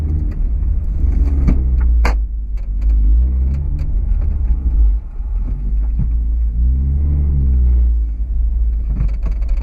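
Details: 2008 Honda Accord coupe on BC BR coilovers, irregular dull knocks through road rumble over bumps from rear coilovers since first day of install; end links, sway bar, bushings, top nut and mounting bolts ruled out.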